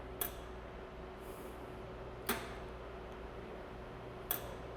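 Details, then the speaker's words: Medlite C6 laser under test with the arm micro switch bypassed by tape (error 51 otherwise). Three sharp clicks about two seconds apart: the safety shutter cycling open and closed so the system sees it move, normal operation. "you hear a click click click click that's a safety shutter making sure that it does open and close and that the system sees it open and close"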